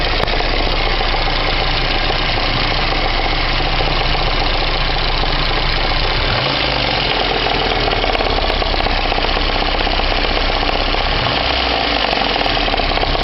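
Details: VAZ 2109 engine at steady idle with a dull, regular knock that appeared two days ago and persists after warming to operating temperature. Source unconfirmed.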